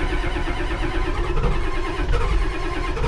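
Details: Ford 7.3 IDI diesel during glow plug module and solenoid diagnosis. It cranks right after the glow plugs are cycled, with battery voltage dipping. It catches into a rough, uneven low clatter that slowly firms up: a diesel cold start.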